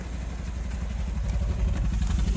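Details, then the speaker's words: Maruti Alto K10 BS6 at idle: a very bad, low, uneven thump with irregular stumbles; misfiring with a "system too lean, bank 1" fault code, an air-fuel mixture fault traced to a faulty injector. "आप आवाज सुन सकते हैं। इसकी आवाज़ बहुत ही खराब है।"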